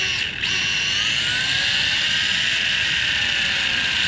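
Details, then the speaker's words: X-Rider CX3 Air 1/10 RC motorcycle with a 132 brushed motor on a 7.4V 2S battery, first power-up: the gyro built into the rear wheel spins up with a clean whine that settles into a steady high hum, a normal spin-up. "Alright, so the gyro's built into the rear wheel."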